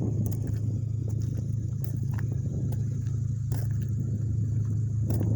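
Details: Acura TSX on its first run after the owner replaced the timing chain himself: a low, steady idle with an even beat and no knocking or ticking, sounding healthy and smooth.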